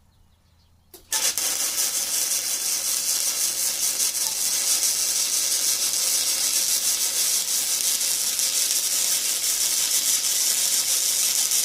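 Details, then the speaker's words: ESAB Fabricator 141i DC flux-core welder, first weld, compared with the Harbor Freight Flux 125 AC: after a brief silence the arc strikes into a steady, even crackling sizzle with no popping; runs much smoother. "as you hear that runs a lot smoother"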